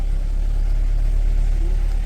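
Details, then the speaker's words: Renault Clio on 50% ethanol, coolant 29°C, after fixing faulty coolant temperature sensor that caused cold-start over-injection and flooding: engine catches and holds a steady, even low rumble, fast cold idle, no stumbling; normal start. "Então agora eu vou ligar ele e nós vamos fazer o teste exclusivo. Se ele vai pegar. Pegou, começou a funcionar."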